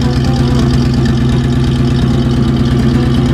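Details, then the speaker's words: 1966 Bronco 351 Windsor V8 idling, microphone behind the exhaust pipe during paper test: steady even low rumble with smooth beat, paper blowing out steadily, not sucked back; good bank, normal idle (other bank suspected valve leak). "you have the paper is steadily blowing out. It's not sucking the paper back in. This is actually the good bank, I suspect."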